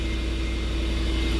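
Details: Truck not run for a while, idling outdoors in about 12 degrees in April after a repair for not starting, when the fuel pump could not be heard. Steady, even low rumble with a faint constant hum, no misses or knocks; smooth idle.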